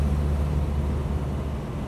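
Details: 1976 Land Rover Series 3 109-inch with a 2.25 petrol engine, driving with a loud, deep exhaust drone. The exhaust is holed and blowing at the manifold, where a stripped stud was botched with a too-long bolt; this is the before-replacement noise.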